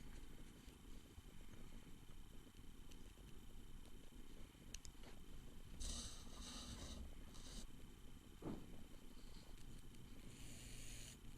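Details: Tyco Spirit of America Ten-Wheeler model locomotive motor after lubricating front and rear motor bearings to cure squealing: soft, even low purr with steady speed and no high squeal; the motor runs smoothly and freely.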